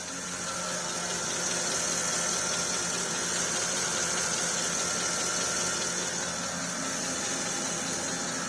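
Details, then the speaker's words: Porsche Cayenne S at idle after replacing a leaking steering rack and bleeding air from the system: steady quiet hum with no pump whine or groan while turning the wheel, no leaks from the pipes. "now i can turn the steering wheel no noise there's no leak from the actual pipes"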